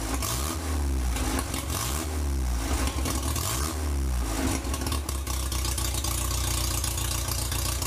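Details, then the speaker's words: 1947 MG TC XPAG engine, after lying about 40 years and arriving on its side, run on a stand with the radiator filled and a temporary exhaust pipe: steady, even low idle after a brief blip, no knocks or misses; normal idle, may need a little fine tuning. "well we might like to do a little fine tuning but that's not too bad"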